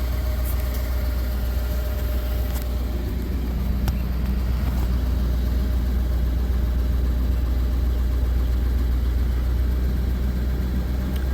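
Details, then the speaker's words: Ford 6.7 L Power Stroke diesel with BD Diesel high idle kit, foot off brake, knob turned up from 600 rpm base: steady even rumble held at raised speed, no hunting or misses. "totally my fault my foot's on the brake take your foot off the brake turn it here it rev up"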